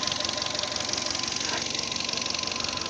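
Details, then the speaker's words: Fiat Panda 1.2, about 140,000 km, after head gasket replacement (coolant was being pushed out by combustion gases, head dowel sleeves eaten away); even, regular ticking idle with steady pitch and no misses; normal idle. "silniczek sobie pracuje po naprawię bardzo ładnie"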